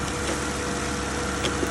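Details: Car running at normal idle after a jump start with a portable jump starter; the battery was dead, likely from lights left on. Smooth, even idle with a steady low hum, no misses or knocks.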